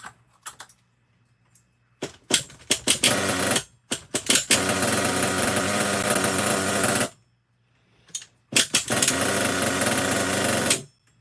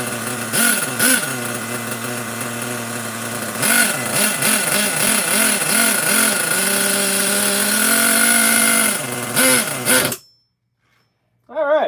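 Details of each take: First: Used nitro RC truck engine, fuel being run out of the line, carb likely still has some junk in it: short bursts of high raspy buzzing that catch and cut out cleanly, revving evenly; sounds fine, though idle could be a little lower. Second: Small nitro RC engine on a newly bought truck, carburetor recently freed up: buzzing high and rising in surges, then holding a fairly fast idle; idle set a touch high, carb needs running in.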